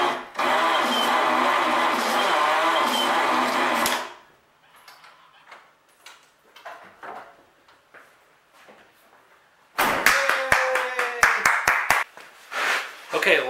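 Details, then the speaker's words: Chevrolet engine on a 1948 6-volt Delco Remy starter, plugs out, no oil, only assembly lube in rebuilt bearings: laboring starter churns about four seconds, dragging on each stroke; slow cranking, owner attributes it to the assembly lube. "if that sounded like it was cranking really slow well it was okay like i said i only have assembly lube in here"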